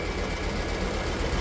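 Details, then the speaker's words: BMW E39 M5 with Dinan S1 conversion, started after sitting two months and put back to stock intake with adapters: steady V8 idle with a fast ticking that keeps pace with engine speed. It is lifter tick, which the owner hopes a drive will clear. "we have a working setup we have a smooth idle and a mean lifter tick cuz this car has been sitting for like 2"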